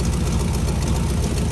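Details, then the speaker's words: 1957 GMC 370 2-ton truck, original Pontiac 347 V8, revived after 20 years sitting, idling on its own on its own tank: deep idle with a sharp puffing tick on each firing pulse at the pipe joint; exhaust leak from blown donut gasket. "Doesn't sound too bad, besides that exhaust leak there. That's just the donut blown out there."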